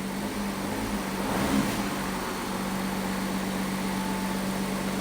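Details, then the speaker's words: Audi A7 with a brand-new replacement engine, first start, 5.5 L of oil added, coolant not yet filled: brief rev blip then a smooth, even idle with no knocks or ticks; normal idle. "h we're alive first start the brand new engine sounds good sounds good sounds good little Rev"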